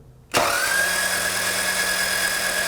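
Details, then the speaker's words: Four-cylinder timing-belt engine that broke down and won't start, with spark and fuel present: starter spins fast and evenly with no compression pulses, no compression on three of four cylinders; camshaft likely not turning, suspected broken timing belt. "we've got no compression on three out of four cylinders that tells me it's highly likely that that camshaft and in here is not spinning"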